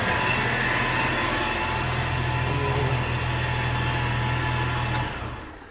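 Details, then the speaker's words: 1997 Jeep TJ at idle, engine bay: constant high singing tone over the idle from a worn belt pulley bearing; owner thinks it is the tensioner pulley rather than the idler, replacing both. "So it sounds like it's the the tensioner pulley. So the idler pulley is on this side and then the tensioner pulley."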